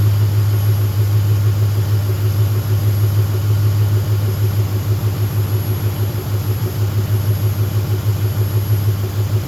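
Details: Car just restarted after fitting an idle air control valve with a hand-cut gasket: deep, loud idle thumping about three beats a second with uneven loping, no knock. Runs rough; owner reports it running too lean.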